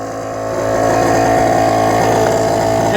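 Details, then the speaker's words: 2000 Mercedes-Benz S500 air suspension: loud, harsh buzzing drone builds and holds as the car is raised; worn air suspension compressor. "if you want to get the air compressor working you just have to put the suspension up a little bit and you can hear right away right there this is not exactly how quiet a Mercedes-Benz should"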